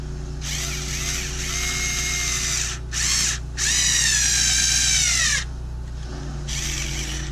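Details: Bosch Ixo cordless screwdriver (unit 3), bought not working and completely dead, after repair: high electric whir in short bursts, steady pitch, no grinding or rattle; motor and gearbox healthy, background machinery noise.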